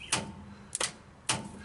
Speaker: Okay, so we're going to test the lower solenoid, and just by putting the wire on, power. You hear it working?